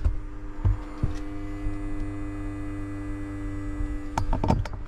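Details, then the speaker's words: Mercedes G63 W463 seat bolster air pump (OEM 000 800 25 48, beside the battery), after repair with the ignition on: a low steady electric hum with a faint whine kicks on and holds even. Normal operation. "kicked on and it's working like it's supposed to"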